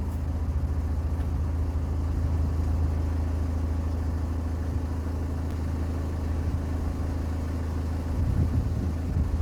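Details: Ford C-Max 2.0 TDCi diesel idling after replacing the failed smart-charging alternator; steady even idle, smooth low drone, no rattle or knocking; sounds healthy.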